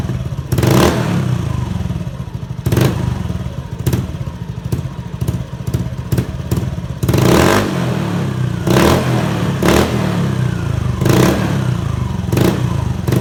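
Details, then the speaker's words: Honda Beat FI fuel-injected scooter after fuel pump replacement, with new pump pressure at 43 PSI: the engine snaps up cleanly on repeated throttle blips and settles back to a steady idle, responsive again. Normal revving. "Oke, motor sudah responsif kembali."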